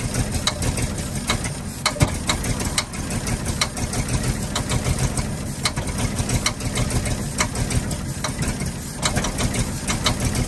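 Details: 1948 Ford F-5 ice truck engine, not run in 45 years, rough idle after first start with sharp irregular pops; number six lifter believed catching on its spring and popping back, not a bottom-end knock.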